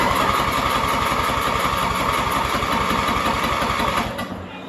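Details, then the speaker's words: MTD Yard Machines mower with 14.5 Briggs engine: steady fast cranking about three churns a second with no firing; still cranks but won't start, fuel shutoff solenoid has power, carburetor not drawing gas. "So, we're going to have to take the carburetor back apart cuz it isn't sucking gas. So, it's something in the carb still."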